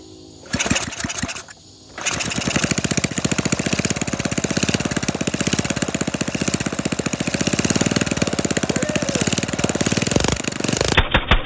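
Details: Flathead Briggs minibike engine with no exhaust or muffler, recoil needing repair: a couple of pulls, then fast, sharp, even popping straight from the open port as it runs with the throttle held open.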